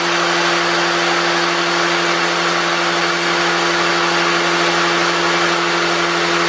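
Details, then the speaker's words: 350 Chevy with Vortec heads and flat tappet cam, priming oil pump with a drill before first start: constant even drill whine under light load, no chatter or strain; after 2 minutes oil at every rocker, 50 psi; priming normally. "Okay guys, there's 2 minutes, and we've got oil at every single rocker coming up. We got 50 pounds of pressure."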